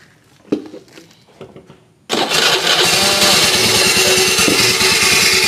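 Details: Suzuki Nex scooter started after some handling clicks runs with a loud, harsh, rattly roar from the CVT; owner says it was fine before, and the noise arose after careless earlier work.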